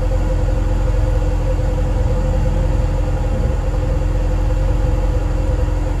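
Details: Cold start with a home-welded straight test pipe in place of a broken electric exhaust cutout: a steady deep rumble with a raw, raspy bark, loud and unmuffled; the owner says it still sounds like crap.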